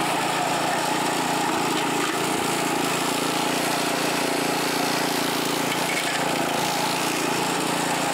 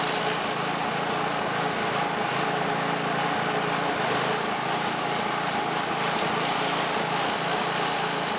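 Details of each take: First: California Trimmer mower, small single-cylinder engine, mowing dead grass after repair and carburetor fine-tuned an eighth to a quarter turn to stop surging; steady even buzz, no surging or hunting; running cleanly under load. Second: California Trimmer reel mower small engine first running after recoil repair, oil checked full; steady buzzy drone, no clear hunting heard yet.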